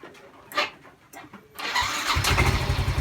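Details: Yamaha Mio M3 fuel-injected scooter with MIL code 46 (charging fault), after regulator/rectifier replaced: quiet clicks, short starter whir, engine catches and settles into even pulsing idle; code clears, normal start.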